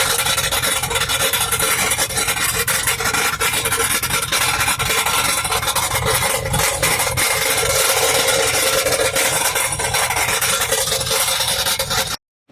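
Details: 2004 Yukon Denali, 300k, transmission work done 4 years ago, after a trans line popped while driving and 8 quarts were added: constant harsh metallic rattle in park and reverse, engine revs without knock; flywheel/flexplate suspected, unconfirmed.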